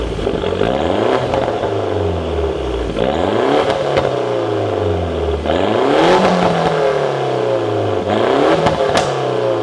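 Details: Mini Cooper S, first start back on ground: repeated blips from idle rising and falling sharply, loud pops and cracks on overrun; loud exhaust backfiring, running healthily.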